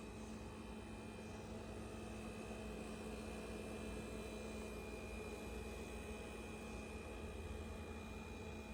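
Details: Ca'Lefort 15-inch dual-zone wine cooler refrigerator after install, running: a loud constant buzz with a steady hum and a higher whine over a hiss, louder than any other appliance in the living space; abnormally noisy, cause unclear.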